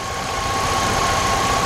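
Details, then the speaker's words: 2003 Jeep Liberty Sport 3.7 after a partial engine rebuild, first run about 15 minutes in with smoke clearing and a small leak noticed. Steady, even idle, no knocks or misses, faint constant whine; running smoothly. "ys this thing is running beautiful look at that thing it's been about 15 minutes the smoke is starting to clear up everything good"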